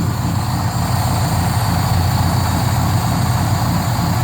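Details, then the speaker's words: Squarebody truck, 454 gas big block with MSD Atomic EFI, still warming up, slight exhaust leak at slip clamp: even low rumble under steady airy hiss; sounds like a vacuum leak but is idle air control working. "sounds like a vacuum leak but it's idle air control cranking now"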